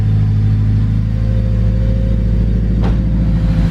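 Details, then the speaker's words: Honda Civic EK hatch with a turbocharged K20 engine, 11.5 compression, everything replaced, on its first road test: a deep, steady exhaust rumble pulling evenly with no misses, knocks or whines; normal running. "now it's turbocharged and everything has been replaced that runs all right"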